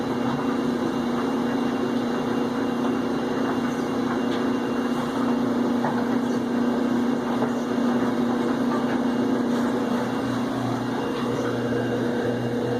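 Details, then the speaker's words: Whirlpool Cabrio HE washer during drain, not spin: constant loud single-pitch whine over a low motor hum; drain pump motor bearing whine. "I'm not so much with the little clankity clank from the swing but the crazy whine of this ridiculous motor"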